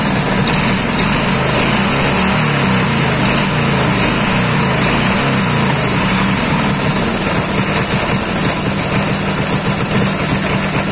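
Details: Dnepr 10-36 engine after replacing worn blue connecting-rod bearings and the connecting rod, which had knocked and shed metal shavings: loud, steady chug at constant fast idle, even beat, no knocking; healthy.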